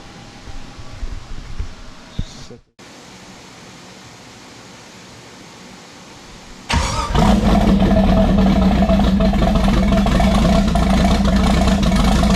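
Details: First start in over 20 years of a 1972 Monte Carlo with a twin-turbo 5.3 LS, T56 and turbo mufflers: catches after about half a second of cranking and settles into a steady, even, quieter-than-expected idle with a smooth low rumble.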